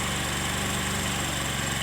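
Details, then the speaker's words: Motorcycle carburetor idle air screw turned fully in, giving an uneven, lumpy, faltering idle that sags as if about to die; backing the screw out fixes it. Rough idle from closed air screw. "motor jadi motor jadi seperti ini ya kalau kita setel mentok nah agak mati"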